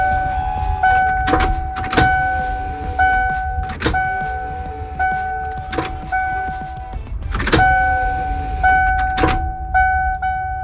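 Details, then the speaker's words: 1996 Ford E-350 van after tank cleaning and new fuel pump assembly, door open, key cycled repeatedly with fuel pressure gauge relief open to purge lines: electric pump hum in short runs with clicks between; bubbly gasoline eventually flows, priming normally. "door open so we can hear the pump hopefully it works but you're going to want to hold the button down as you turn the key"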